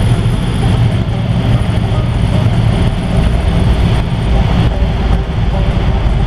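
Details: 1955 Ford driving after an exhaust leak fix: a steady, even low rumble under way with no puffing, ticking or blowing; a quiet, normal exhaust note.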